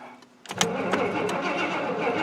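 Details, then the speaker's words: Square-body GM 3/4-ton 4WD Suburban with throttle body injection, starter cranking with a few uneven chuffs but never firing; crank no start, fires only with starting spray. "the problem that we appear to be having is it cranks over won't fire unless you put spray down it"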